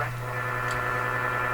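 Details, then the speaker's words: Canadian General Electric A55Z two-band tube radio at first power-up; steady low mains hum under a soft, even hiss when tuned between stations, quiet when on a station as sensitivity drops with signal. Normal inter-station noise and hum. "So when I'm tuned in the station, you hear no noise. I tune a little off. All this noise. Oh, this radio's working pretty good."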